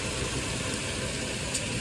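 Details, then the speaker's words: Nissan Xterra at idle with AC on: a constant even whir as the compressor runs steadily while the sensor's brown wire is grounded by hand; letting go turns it off, pointing to a faulty sensor. "I let go, it turns off."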